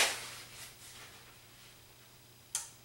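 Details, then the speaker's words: 2004 Panasonic TH-42PA20 plasma, 12-blink fault: after the digital board is reconnected, one sharp relay click, then quiet as the set goes into protection shutdown; the digital board is suspected of pulling the power supply down. "hear the relay click and the set goes into shutdown so we're going to have to go over and look at this digital board and see whether there's something on here that's drawing the power supply Down pulling the power down and putting it into a fault mode"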